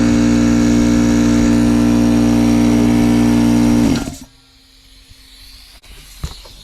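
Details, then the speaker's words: Air compressor after rebuild, previously building no pressure and running non-stop: steady, even pumping hum with a firm low drone, reaching 75 psi and getting hot, then shutting off; compressor pumping normally after repair. "hey there we go we're registering uh 75 pounds right now so it is working getting hot already sounds good"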